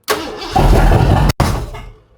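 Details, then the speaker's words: Old-school V8 with flat-tappet cams, restarted after cam work: fires hard, runs roughly for about a second, cuts out, catches again, then dies. Sounds flooded; owner suspects a lot of fuel in it, but the cause is not confirmed. "Man, that don't seem right. There's a lot of fuel in there, bro."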